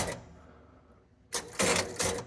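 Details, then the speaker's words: Gottlieb North Star electromechanical pinball machine after pressing start: a brief burst of clattering relay and motor clicks, then silence. The score motor makes one turn and runs the relay banks, but the game won't start. "when I hit the start button, the score motor makes one turn and it runs a one of these relay banks or both of them."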